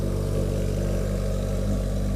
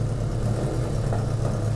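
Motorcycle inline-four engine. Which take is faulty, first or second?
second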